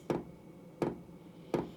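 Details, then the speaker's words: Cheap eBay diesel heater on the bench, first run, still cold: sharp single ticks about every 0.7 seconds as the dosing pump clicks fuel through, possibly while the glow plug warms; heater later failed to run properly. "i can't hear oh i was just about to say i can't hear the diesel pump clicking but i can hear it clicking now and that's firing the diesel through"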